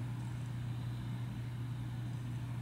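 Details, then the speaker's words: 2012 Sony VAIO S13 laptop (Intel HD 4000) cooling fan at idle under normal use: very faint, smooth, even low hum with no ticking or rising whine; running normally and quietly. "it revs up and it starts blowing out more faster than uh under typical uh usage so right now it's just idling and you can hear that there's really not much going"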